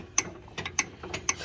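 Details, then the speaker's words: Truck with Mile Marker lockout hubs, hub locked and axle turned by hand: sharp metallic clicks about every half second from the front U-joint, which is worn out, as is the other side's. "now it's locked you can hear it here at u-joint look at that usually"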